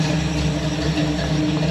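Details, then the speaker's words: Ford Galaxie XL V8 parked 38 years, now running on straight headers: a smooth, even low rumble at steady idle with no lifter tick; normal, healthy idle. "Quiet, happy, smooth, healthy."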